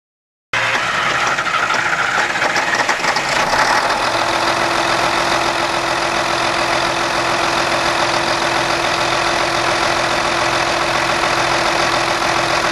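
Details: MAN V12 800 kW diesel, first startup after sealing a leaking pump element: catches at once and settles into a deep, steady, even idle with no knocks or misses; normal startup and idle.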